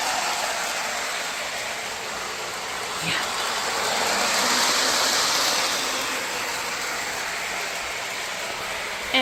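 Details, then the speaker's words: Lionel 2032 Erie FA-1 model locomotive on a test circuit after wiring repair and a fresh horn battery. An even, airy whir with a light rolling rattle that swells and fades as it passes; running well. "yep she's running well"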